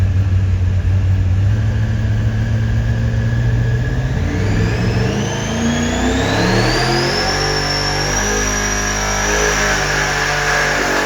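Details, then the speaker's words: Supercharged 483 big-block Chevy V8 on dyno with 22 lb boost setup, full pull: heavy pull with supercharger whine climbing with revs, then run goes south fast; backfire blew the head gaskets. "Yeah, that went south real fast."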